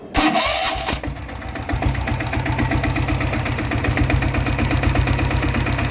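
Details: Greaves Cotton diesel Bullet after tappet adjustment (a tik-tik noise had appeared once warm): after the start it settles into a steady, even diesel thump with no top-end ticking; healthy idle.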